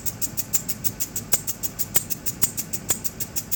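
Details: 2003 Land Rover Discovery making a sharp, light click that repeats about twice a second in a steady rhythm. Cause unknown.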